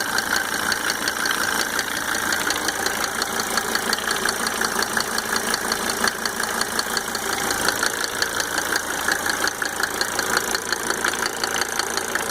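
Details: Mercedes 300D W124 2.5-liter diesel, just fitted with five newly rebuilt injectors with Monarch nozzles: steady idle with a sharp, regular tick just under three per second over the clatter; source undetermined.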